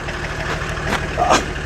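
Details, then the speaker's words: Old boneyard-ready turbo diesel car with an open intake. Even, low clatter at a steady idle, no misses, knocks or hunting, turbo audible. Normal idle. "as much as it's ready for the bone yarn it runs like brand new it's got an open intake over here so when you done it you can hear the turbo kicking it works nice"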